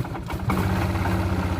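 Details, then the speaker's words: Old Kawasaki (donor wheeler) sat 8–10 months without fuel or battery: brief cranking, then it catches and settles straight into a smooth, even single-cylinder idle; starts and runs fine. "well there we have it started ran great got flat tire"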